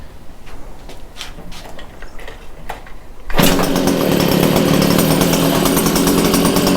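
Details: Stihl HS 81R two-stroke hedge trimmer after cleaning the plugged spark arrestor screen and refitting the exhaust, possibly without choke; uneven low popping, then a jump to a steady high-revving buzz that holds smoothly with no stumbling: runs healthy.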